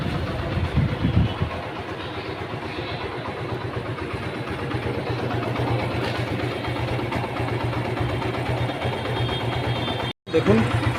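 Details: Suzuki Gixxer Street Sport self-start after starter noise repair, clutch held while starting: engine settles into even idle about four pulses a second, no grinding or rattle from starter.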